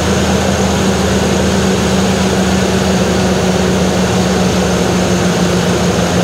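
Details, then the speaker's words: Jeep CJ5 after carburetor work: loud, steady, smooth drone a bit above normal idle; idle set high from earlier adjustment and owner can't bring it down. "but now it's running like pretty legitimately idled up a little high from where i was effing with the idle earlier i can't bring that down"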